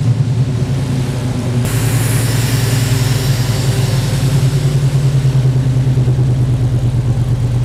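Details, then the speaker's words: 1977 Chevy Nova with newly installed FiTech 800hp MeanStreet EFI, idle set to 900 rpm, mic at the rear of the car: a steady, even, low tailpipe burble at idle with no misses or knocks. Smooth, healthy running. "all right guys so there you have it we got a pretty good first start on the phi tech"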